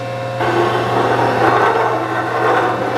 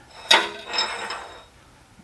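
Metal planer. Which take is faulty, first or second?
first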